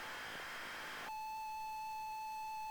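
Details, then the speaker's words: ZX Spectrum cassette of Hot Shots loading: a second of hissy data, then a steady clean mid-pitched tone, from an unusual custom loader that pauses the tape. "start the tape that's weird that's so weird what a load weird"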